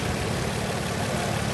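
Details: 2007 Nissan Altima SE, 3.5 engine (transmission stated both as automatic and as 6-speed manual), a running car hit on its left side: a smooth, even low rumble with no knocks, ticks or misses. Normal, healthy idle.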